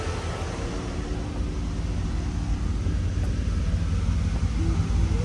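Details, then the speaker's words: 2001–2002 Camaro SS SLP V8, about 100,000 miles, after new headers, Y-pipe and tune, AC on: deep, even rumble idling at about 700 rpm, louder than stock, no misses, knocks or ticks; normal idle. "Idling at about 700. Everything's cool."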